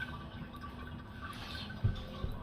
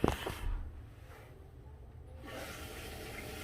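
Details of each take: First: Toilet ghost flushing: low, steady rush of water refilling the tank with nobody flushing, as a worn flapper lets water leak out of the tank; fixed by replacing it with a universal flapper and chain. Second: Toilet tank after replacing universal flapper that caused ghost flushing: steady rushing hiss of water refilling, even with no squeal or chatter, then quiet when full; normal refill.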